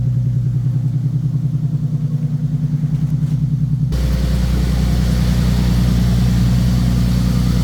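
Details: 2015 Nissan 370Z after front-end collision and frame repair, idling after its cold start: even, steady low pulse about three beats a second, no knocks, misses or ticking; running good, smooth healthy idle.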